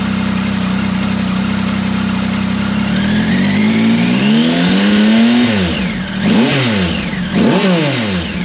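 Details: Triumph Tiger 1050 Sport with new Lextek RP1 full exhaust (baffle in) replacing cracked downpipe: even idle, smooth rising and falling throttle blips, clean exhaust note; normal idle and revving.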